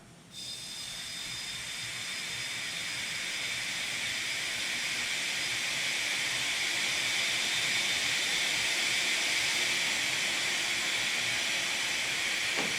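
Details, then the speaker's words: Nissan 300ZX twin turbo, engine off, intake pressurised for boost leak test with fuel pressure regulator disconnected, owner reporting turbo lag: steady hiss of escaping air at the back of the intake near the idle air control valve. "So you can see here how much air I put in the system, and immediately you can hear a leak towards the back of the intake around the area where the idle air control valve's at."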